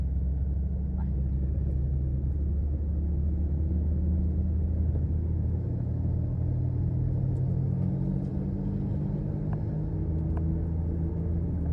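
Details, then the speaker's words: 2004 Mazda 323 Protege, automatic, driving: steady low droning "vung-vung" howl like tire noise entering the cabin; the seller lists a howling wheel bearing as a defect but is unsure whether it is the wheel bearing or hardened, worn-out tires. "รถจะมีดังเหมือนยางหอนนะครับฟังเสียงจะวึ้งๆๆอ่ะเสียงยางอ่ะเข้ามาด้านในไม่แน่ใจว่าเป็นที่ลูกปืนล้อดังหอนลูกปืนล้อหอนหรือเปล่าหรือว่าเป็นที่ตัวยางกระด้างหมดสภาพนะครับมันจะดังเข้ามาในห้องโดยสาร"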